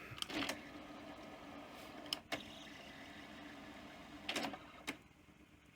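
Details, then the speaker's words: 1984 Sanyo VTC-M40 Beta Hi-Fi Betamax loading a cassette: irregular scraping clicks and sliding bursts, as if the reels are slipping or an idler is struggling. The finding is a noisy reel drive motor. "Well, it's making some interesting noises. Sounds almost like sliding reels or something, like an idler's struggling."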